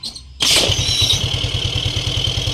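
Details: SkyDrive Sports scooter that kept dying on trips from a charging system fault; after repair it charges at 13 to 14 volts (13.72 V). Kick start catches at once and settles into a steady single-cylinder idle of about eight beats a second: normal idle.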